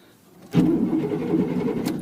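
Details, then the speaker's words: 1988 Chevy Silverado V8 pickup, neglected, fuel-injected, low on fuel: brief crank catches almost at once into a steady even V8 rumble; starts easily, though smoky (owner says needs valve seals). "Cranks. I know it's got fuel injection. I don't need to crank it, but wow, she's a runner."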